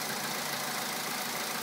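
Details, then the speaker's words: VW Polo sedan 2011, 64,000 km, Liqui Moly Molygen 5W-40 filled to max, 98 petrol, +2°C: cold idle with fast, light, even tapping over engine hiss; knock slightly shorter after oil change, longer with mileage; cause unknown. "После замены стучит чуть меньше по времени. С пробегом стук становится более продолжительным."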